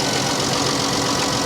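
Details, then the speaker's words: 2014 Dodge Avenger V6 at a salvage auction, cold day, idling: uneven stumbling beat with a dead miss; suspected dead coil pack, tune-up need or bad gas, not confirmed; alternator also suspected bad; engine misfire at idle. "listen to this engine aside from it from a misfire she sounds really good"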